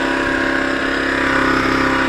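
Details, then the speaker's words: Zontes Tiger 125cc motorcycle bought as a non-starter, first start after getting spark (ignition coil reads a borderline 11,000 ohms), fuel tap on reserve: a steady, even single-cylinder idle with no misses or knocks. Runs cleanly. "well i've managed to get a spark but we're still not starting i've had to switch the fuel tap to reserve so there's probably not much petrol in this this is all i've got left see what happens well it started"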